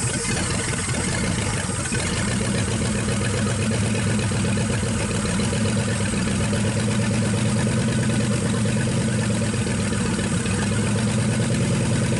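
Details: 1963 Pontiac 389 V8 first start, no hood, hot-wired points ignition: old V8 catches and settles into a deep, fairly steady lumpy idle with no knocking; normal idle.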